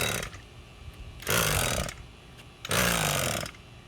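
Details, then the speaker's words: Echo SRM 225 straight-shaft two-stroke trimmer after carburetor repair, pull-starting: short sputtering pops about two per pull, the popping sign it is close to firing. "that's the popping sound i'm telling you that you may listen to once you hear that you know you're gonna be good"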